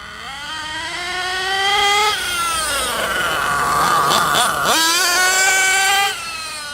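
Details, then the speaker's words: Hot nitro engine in an RC truggy on stock base needle settings before tuning; high buzz rising and falling with throttle, muffled and blubbery at the top instead of screaming clean: running too rich. "It's running on pretty much the stock, the base settings for what it is when you buy it. So you notice it's really rich at the moment."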